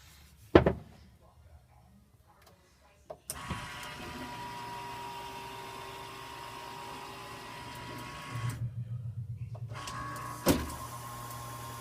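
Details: Wolf downdraft vent motor hums as the arm travels, with uneven bumps and a sharp thump from a cut on the black roller wheel that repositions the arm; replacing it fixed the problem.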